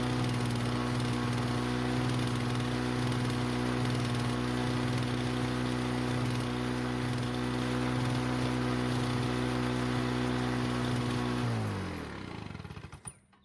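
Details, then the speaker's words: Lawn-Boy mower after replacing damaged brake cable that caused no-start, briefly flooded then cleared: runs steady and even about eleven seconds, no misses or surging, winds down cleanly at shutoff; healthy. "no I didn't make a mistake by flooding the engine when I was taking off its stand when I was filming it but it did eventually clear up and everything worked like it was supposed to"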